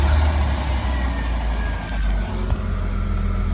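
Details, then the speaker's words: 2003 Porsche Boxster base model with Tiptronic, a non-running flood salvage car, running with an S computer and immobilizer and the AC on: a deep steady rumble with one brief bump, then an even run. Normal idle. "It's hard to see the little thing there, but it sounds beautiful. Wow. Okay, it runs."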